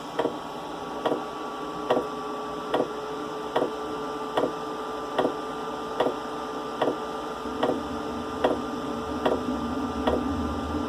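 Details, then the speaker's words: Webasto Airtop 2000 cabin heater on a Westerly Konsort boat at startup; metering pump ticks steadily about 75 a minute over a soft whir, low jet-like roar builds as combustion catches, quietens once warmed up. "There we go, the exhaust is getting going now. Yeah, so it sounds like a jet plane about to take off. But it does quieten down."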